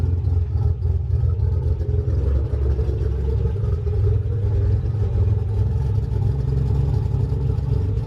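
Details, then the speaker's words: 1988 Nissan 300ZX Z31 project car, first start since summer 2017, heard from outside: low throbbing idle, a bit uneven with some clatter but no sharp knock; runs a little rough, owner suspects old gas. "It's as if I hadn't, you know, runs a little rough. The gas in here definitely is probably pretty old at this point, so I'll have to go out and get some more gas."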